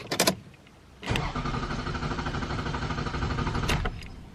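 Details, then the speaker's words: Camry with rough idle and morning stalling, started right after spraying throttle-body cleaner against carbon buildup: starter cranks steadily about three seconds but the engine does not catch because cleaner floods the intake; it starts on a later try with white smoke. "So there you go, it's not starting, so you just got to wait a little bit and try again."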